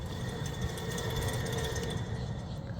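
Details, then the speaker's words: 2018 Toyota Camry SE rear wheel hub spinning with tire off: steady gritty rumble with faint whirring, a worn wheel bearing, reportedly louder on the road; replacement of the whole hub assembly planned. "2018 Toyota Camry. We got a wheel bearing that's making noise."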